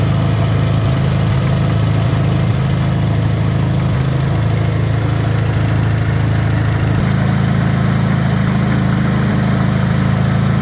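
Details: Rebuilt Wisconsin THD air-cooled twin, 20-over pistons, bored, a little loose, with a flush head said to make it quieter: steady, even low rumble at settled idle, no clatter or misses; healthy.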